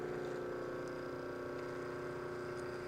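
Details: Mahlkonig EK43 coffee grinder being zeroed, burrs backed off just past the faintest chirp: steady motor hum with firm mid-pitched whir, no chirp or scraping, running empty.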